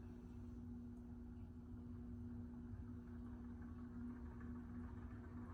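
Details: 2000 Heritage Alexis ceiling fan after new capacitor fitted, now running significantly faster: steady motor hum with faint rough rumble underneath from worn bearings still needing replacement.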